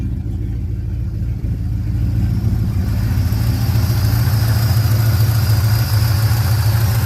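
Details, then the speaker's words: 1967 Chevrolet C10 V8 on a cold start, just after a new Wix fuel filter is fitted, settles into a steady, even low idle with no misses or stumbles and no fuel leaks, already running a little better. "Alright, y'all are my witnesses. I don't have no leaks. That already sounds like it's running a little bit better."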